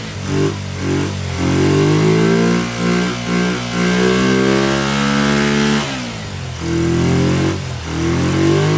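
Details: Kawasaki Ninja twin on project restoration, just fitted fuel splitter with temporary fuel line to both carburetors, flooding at start: revs hang and drop unevenly with stumbling beat through each blip; rough running, carburetors suspected as main issue.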